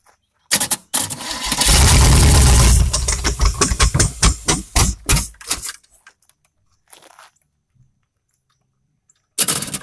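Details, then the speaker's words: Old Chevy 350 V8 started on the ground out of the vehicle, tested before install in a Chevy truck, with exhaust open at the manifolds. A quick crank, then a loud rumble that settles before shutdown; it runs and sounds good. "See What we got here, guys? Wow. It runs good. Sounds good."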